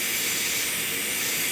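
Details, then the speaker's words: Portable air compressor, tank filled, before regulator rebuild: constant sharp hiss with no rhythm as air escapes all around the regulator, tank pressure bleeding down toward zero; leaking regulator. "it's leaking all the way around the regulator."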